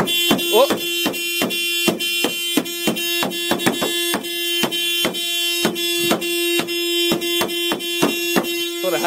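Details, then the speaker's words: Car horn blaring nonstop with nobody pressing it, key missing so no access inside: one steady, unbroken horn tone; horn stuck on, cause not found, left to drain the battery. "the car is just it just beeps so like someone's holding down the horn but no one's holding on the horn"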